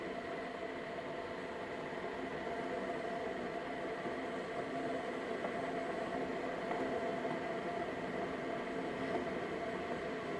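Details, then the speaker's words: Keurig coffee maker, reported as not shutting off water, running a medium cup: steady even hiss and faint hum as the heater warms water before brewing; the reservoir water level is not dropping yet. Normal heating cycle. "I hear the heater in fact I smell the eater I hear what sounds like the water level is not going down it's taking off"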